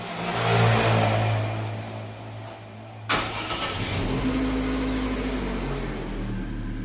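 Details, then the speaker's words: 2011 Chevrolet Prisma after repair of a starter that scraped on cranking: brief clean crank, engine catches at once and idles steadily, noise gone; cause was a dry, dirty starter, fixed by cleaning and lubrication. "Vamos dar aquela partida. Acabou o barulho."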